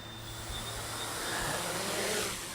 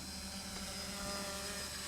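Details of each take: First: 550 hexacopter on a Naza V2 with GPS lock: the motors whine unevenly over rushing air with pitch wandering. There is little throttle response even at full throttle, and it won't climb or run smoothly. The owner suspects the gyros work but is unsure of the cause. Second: Smaller quadcopter with NAZA Lite flight controller, in slightly breezy conditions: even high buzzing prop whine at steady pitch without surging; motors running smoothly in a stable hover.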